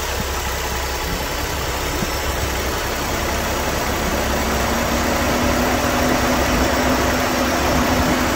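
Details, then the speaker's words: Cooling fans commanded through fan duty control with an XTOOL A30D bi-directional scan tool, engine idling: fan whoosh and hum climb in pitch and loudness as the duty cycle is raised, then come back down; fans respond normally. "okay you could hear those fans you know increase in speed as I I bumped up that duty cycle and they came back down"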